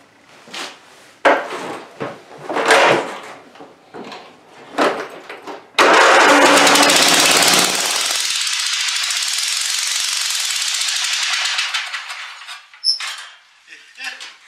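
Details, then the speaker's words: Neglected Craftsman YT4000 hydrostatic riding mower, years without oil changes. It has spark and air; after a shot of starting fluid with one plug out, it cranks, catches roughly on one cylinder with a slight clacky clatter, runs a few seconds and dies. It is not getting fuel. "A little clacky. Alright, so clearly we're not getting fuel."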